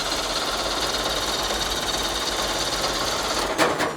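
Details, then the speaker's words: Ford Pinto wagon with stock long-block 454, timing still too advanced: fast even cranking whir with no firing at all, then stops; cranks but won't start, sounds like zero compression or no ignition, rotor suspected. "It acts like it has no compression anymore. Or has zero ignition."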